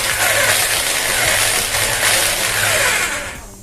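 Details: JCB-type 26mm rotary hammer drill running with a harsh, loud rattling roar that holds steady, then fades as it stops; the noise comes intermittently during use. The loud abnormal noise comes from a worn internal U clamp.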